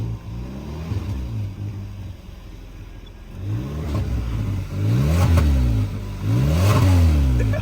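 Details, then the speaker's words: 2014 Kia Soul after catalytic converter replacement, exhaust pipe joined with a double U-bolt clamp, revved in bursts: raspy puffing edge rises with each rev over the low exhaust note; exhaust leak at the clamped joint. "See if there's an exhaust leak. There's definitely an exhaust leak. I just heard it."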